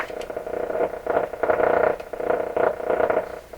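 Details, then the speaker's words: Restored Electrohome tube radio with its console antenna connected to the four-terminal jack, volume full: uneven rushing static swelling and fading in bursts as it picks up signal; set working. "she's radioing somehow to some degree now that can actually be interference being received that could actually be reception let's tune this baby it's working got the volume full here it's picking up something"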